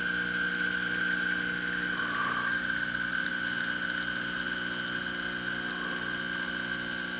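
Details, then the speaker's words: Exbobar espresso machine after full service, brewing at 10 bar with ~1.2 bar boiler pressure: steady buzzing pump drone with thin high whine, laboured and slow, straining against an overdosed coffee puck; crema still good. "But you can see we get really nice crema, but yeah, the pump is working a little extra hard because, and you could hear it, because I had too much c"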